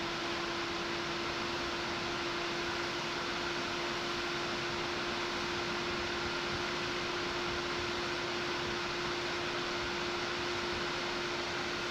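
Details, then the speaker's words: Silverstone XED120S air cooler on a Ryzen 9 9950X3D under a Cinebench load: a steady, loud rushing whoosh with one constant fan tone. The CPU cooler fan is at full speed under heavy load. "when this test ramps back up again, putting a lot of load on the CPU, you should hear that fan get louder. That's how you know if you're running hot or not."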